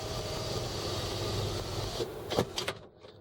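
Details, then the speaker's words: 2001 Land Rover Discovery 2 at 102,295 miles, rear sunroof opened and closed: a steady motor hum for about two seconds, then a soft clunk as the panel stops, so the sunroof motor operates normally. "this other button is for the rear sunroof we're going to open and close it here we go okay it's opening we're gonna close it"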